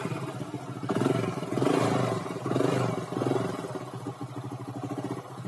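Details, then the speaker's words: Honda Grand/Legenda motorcycle after cam chain (keteng) replacement, sprocket bolts aligned. Steady, even engine beat with smooth throttle blips and no rattle or chain slap; the earlier noise came from a worn, loose cam chain and is now quieter. "nah guys ini sudah dipasangkan sekarang mah gak terlalu bunyi ya guys gak terlalu berisik atau gak terlalu elektrik ya guys"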